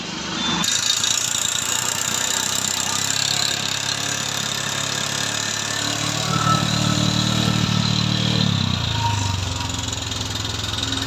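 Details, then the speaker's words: Bajaj Discover 150 motorcycle at idle: single-cylinder idle with a loose, uneven ticking about three per second; rocker arm found rubbing and worn, identified during engine strip-down. "তো গাড়িটা খুলে আপনাদের সঙ্গে share করতেছি গাড়িটার কি কি সমস্যা আছে আর কোথা থেকে এই শব্দটা আসতেছে। তো এখানে আমরা যেটা আরেকটা সমস্যা পাইছি, দেখেন লকার এখানে গসতিছে।"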